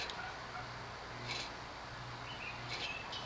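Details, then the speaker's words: Late-1970s Union 36-inch industrial ceiling fan, 'C Lamp' model, cast-iron motor on low via solid-state control: low hum swelling and fading about every 0.7 seconds, lower canopy buzzing from worn bearings; performance unaffected. "You can hear the lower canopy buzzing because it has a little bit of that cyclic buzz due to bearing wear."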